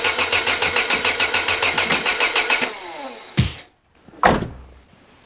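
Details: Peugeot 205 with Solex carburettor just refitted: steady cranking at about three and a half turns a second with no firing, after pumping the accelerator; battery weakening; vacuum hose still unplugged, leaving an air leak.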